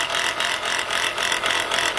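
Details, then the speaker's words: Chrysler Pacifica (2004–08 generation) engine bay: a harsh, gritty rasp pulsing a few times a second, coming from the alternator. The alternator bearing appears worn out. "all right guys from the looks of this and the sound of this [Applause] look like that alternator bearing is shot"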